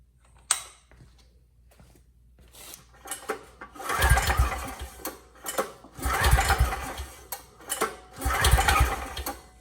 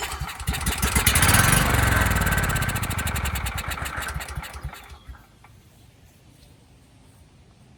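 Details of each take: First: Powermate 5000W generator with Briggs & Stratton Vanguard engine, seller reports burned, pitted piston: slow, uneven cranking bursts with little resistance; 30 psi compression versus about 60 normal with compression release, low compression. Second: Briggs & Stratton Vanguard engine on Powermate 5000W contractor generator, sold as non-running with burned, pitted piston and no compression: fires on starting fluid without fuel in line, quick even firing beats about four seconds then dies; compression sounds healthy.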